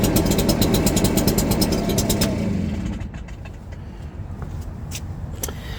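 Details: Stihl BR340 backpack blower after teardown, cleaning and carburetor work, on the customer's old fuel with no carburetor adjustment: crisp, even two-stroke buzz for a couple of seconds, then a smooth wind-down; runs clean.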